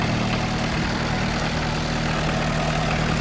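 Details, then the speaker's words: Case D40 tractor diesel run after its power steering hoses were replaced and refilled, checking for leaks with the water not hooked up: a smooth, even low chug with no knocks or stumbles, a healthy idle. "Okay, so we're going to turn that on, make sure we don't have any leaks, and we'll put everything back together. Okay, so far so good."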